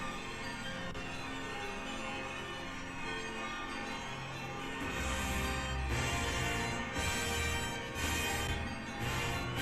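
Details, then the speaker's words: Nobsound Mini Bluetooth 2.1 integrated amp (TPA3116 chips) playing its bright, rhythmic bell chime over a quiet background once Bluetooth pairs successfully; normal connection sound. "Oh, there's the sound. Come on. The glorious bells. Connected. That's what they play when you successfully connect to the Bluetooth on this."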